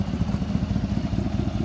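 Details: Collision-damaged 2019 Chevy Tahoe police PPV, 24,000 miles, started on a jump box: a smooth idle with a quick, even puffing tick on the low rumble; a fairly big exhaust leak is suspected.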